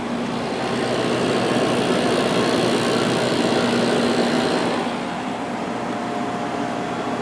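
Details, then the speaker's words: 1989 Climatrol Fedders 8k BTU air conditioner, Samsung fan motor after oiling a very stiff motor, low speed: steady airy rush with faint constant hum, no scraping, slight imbalance; fan runs smoothly. "let's see how the fan runs there is low and off that is so much much better it's a little off balance cuz it kind of went backwards but this thing is uh doing a lot better now"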